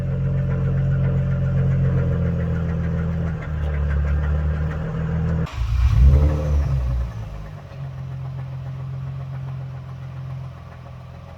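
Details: Engine with a spun rod bearing, revved hard on a drive after an in-car rod knock repair: rough running with a deep uneven low knock, surges then bogs and dies; rod knock.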